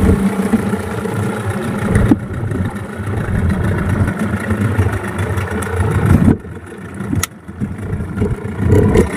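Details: Yamaha 15 hp two-stroke outboard on a test run after repair of stuck rings and a narrowed exhaust: revs up and settles repeatedly, picking up cleanly with no misfire. Normal running.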